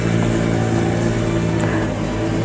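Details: Honda Vario scooter that sputtered and would not electric-start, after repairing a burnt starter wiring socket: even steady engine note, no stumbling or missed beats; starts and runs cleanly.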